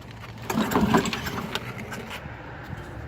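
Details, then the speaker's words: Lawn mower after Seafoam carbon-cleaning treatment: one pull-start rattle rises and fades without the engine catching; cranks but will not start, cause not confirmed. "is not wanting to start all right so it doesn't want to start"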